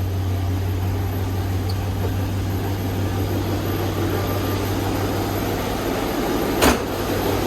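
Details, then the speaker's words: 1965 Ford Mustang coupe with swapped 289 or 302 V8 (owner suspects 289), true cold start after a week unused, fired immediately: smooth, even low idle hum with no ticking or misses, one brief bump near the end; smells of old gas. "smells like old gas yeah it doesn't sound too bad back here either"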